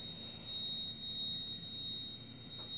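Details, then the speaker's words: Wolf 48-inch gas range oven, bottom bake burners on: piercing steady high whistle at one pitch over soft burner roar; absent on broil, persisted after gas pressure was lowered; cause not found. "can you imagine cooking with this sound okay now the funny thing is the sound only comes when the oven is on to the bottom burners are on"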